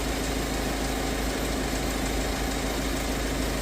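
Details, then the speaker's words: 2012 Kia Sorento diesel after repair for P0087/P1186 loss of power, with the fuel pump reaching 50 psi: loud, steady idle clatter with an even beat and no misses or surging. Normal diesel idle. "I'm going to take the engine off because diesel is very loud"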